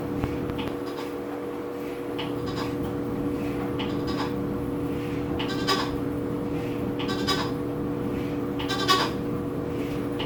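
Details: New Whirlpool WTW4816FW top-load washer hums steadily during wash while short irregular bleating moans break through about once a second; owner unsure if normal.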